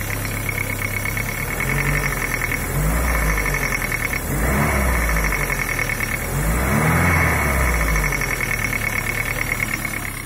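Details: Daewoo Nexia 8-valve engine at cold idle, knocking for about five years and getting slightly louder. A steady light knock on the engine beat that rises briefly with throttle blips. Owner thinks it comes from the crankshaft, low in the engine; others suggest crankshaft or camshaft. Unconfirmed.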